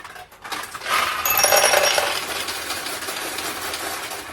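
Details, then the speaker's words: 1969 Nishijin Model A pachinko machine, restored and converted to single shot: a quick run of bright metallic clinks as balls feed to the middle tray after wins. This is normal ball payout. "okay, that noise was more balls going from here to the middle tray, simply because we got some wins here."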